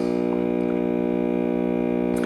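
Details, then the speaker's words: GE Model 403B AM tube clock radio, late 1950s–60s (12BA6, 12AV6, 50C5, 35W4 rectifier), before repair: a loud, steady, unchanging low buzz with no program. This is mains hum from a failed filter capacitor, which is due for replacement. "and as you can hear we have our normal filter capacitor home"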